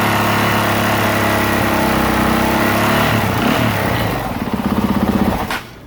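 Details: 2023 Honda CRF450R that wouldn't start with a dead battery, run on a borrowed lithium battery: single cylinder thumps at a steady fast idle, revs settle, then switched off; runs clean, and voltage rises while running so charging works.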